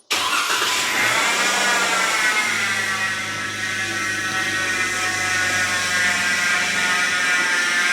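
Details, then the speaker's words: Jeep Wrangler JK engine running, airbox in place, probed with a mechanic's stethoscope rod: steady high whine layered over the idle, no knocking; rough upper idler pulley bearing. "All right, guys, so as you can probably hear, our loud whine noise."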